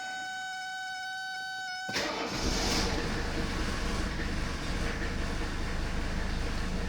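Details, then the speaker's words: 1982 Mercedes-Benz 300TD wagon, OM617 five-cylinder diesel, just after valve adjustment and oil change, started after glow plugs: steady even diesel clatter with low rumble, no irregular knocks; healthy idle. "I'm gonna drive it on away. And you guys can hear it purr like a kitten."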